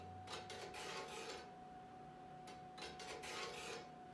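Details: Casablanca craftsman-style ceiling fan with heavy, wobbling blades, running at low speed. Repeated dry rasping scrapes in bursts about every second over a faint motor tone; scratching occurs in either direction and disappears at high speed.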